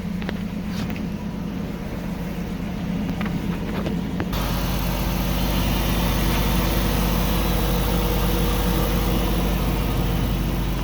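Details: 2006 Chrysler 300 after replacing the failed fuel pump that caused a crank no start: engine catches and settles into a smooth, even idle with a steady low hum and no misses or knocking.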